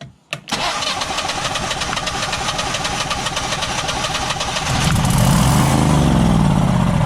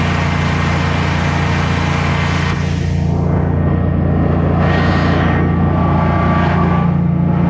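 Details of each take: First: Generac Guardian 16kW standby generator during repair, manual start: the starter cranks briefly, it catches to a rough idle, then falters. The controller shows a "no RPM sense" error, not overspeed. The owner suspects it is being told to shut off rather than starved of fuel. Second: Generac Guardian 16kW standby generator running on gas after refurbishment, carrying close to 6,000 W of heaters: a low, steady drone holding pitch without surging or stumbling, healthy under heavy load and not hesitating.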